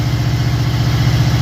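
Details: 1979 Camaro Z28 V8 after replacing seven of eight spark plugs (one plug blocked by header), still warming up: deep, even low rumble at idle, steady beat, no misses or ticks; normal idle.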